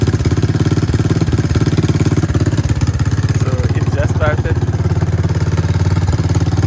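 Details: 1984 Honda ATC 200 three-wheeler engine started during oil service to check the oil level after refilling; steady, even putt-putt at about three and a half beats a second with no misses or knocks, a healthy normal idle.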